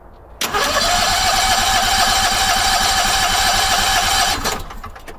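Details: Howard Price Maverick 620 (Cub Cadet) utility vehicle, key start with the electrical wires bypassed for testing: the starter whirs steadily for about four seconds with an even churning beat, but the engine never fires; cranks without starting.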